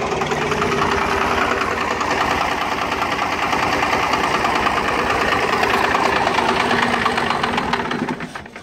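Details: Cummins 12-valve diesel, rebuilt, timing about 16°, injection pump about 20k ago: uneven idle with skipped beats in the clatter, fading near the end. Misfire gets worse after a few miles until the engine dies; cause unknown.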